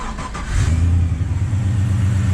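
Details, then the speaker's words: LS1-swapped Nissan GU Patrol after gearbox removal and rear main seal fix: deep even burble, brief rev, then smooth steady idle; normal healthy idle. "purrs like a kitten."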